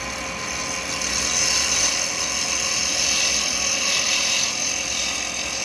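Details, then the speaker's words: Turning an acrylic pen blank with a 12mm round carbide chisel: a bright, steady hiss without chatter as the blank comes round and the cut turns smooth. "you can hear the difference when it starts to go around starting to get smooth"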